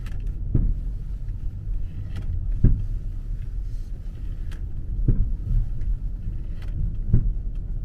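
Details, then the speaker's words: 2009 BMW 5 Series, over 30,000 km: sharp creak from the rear repeating every two seconds or so while turning at about 20-30 km/h. "Si vous dites un virage Écoute, il y aura un grincement derrière"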